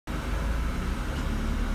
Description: I've been wondering for a while what this sort of chugging noise is, if anyone knows please comment.